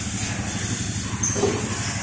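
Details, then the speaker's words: Honda motorcycle at first free periodic service (KPB-1) at AHASS, valve clearance checked by ear at idle: soft, even idle with faint hiss, no tapping; valve clearance judged fine, no teardown needed. "Nah, untuk jarak renggang klep kita coba dengarkan saja ya. Kalau emang kondisinya masih halus, otomatis untuk klepnya juga masih bagus."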